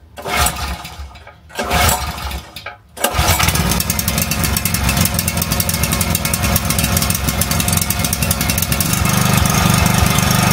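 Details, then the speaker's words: Small petrol generator converted to run on gas via reducer, new carburettor; cranks, catches and settles into a steady even drone with choke/air damper fully open, running normally. "сейчас заслонка полностью [аплодисменты] открыто воздушная заслонка полностью открыто Ну работает нормально"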